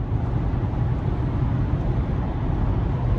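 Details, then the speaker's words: 2022 Toyota Camry SE AWD, driving, cabin mic: steady low droning engine note filling the cabin, loud but even with no knock, not exhaust noise; owner suspects poor insulation, also loud on morning start-up. "car is loud. Like, this car is loud, guys. I mean, it's not loud like exhaust loud. It's just loud. The engine's loud."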